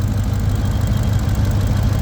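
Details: Engine idling with persistent cylinder 3 misfire despite new spark plug, coil and pigtail connector and swapped injectors; vacuum leak chased: low, uneven, lumpy stumbling idle; circuit tester shows power dropping on cylinder 3, owner suspects wiring issue, unconfirmed.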